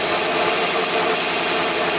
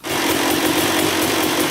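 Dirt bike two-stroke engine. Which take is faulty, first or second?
first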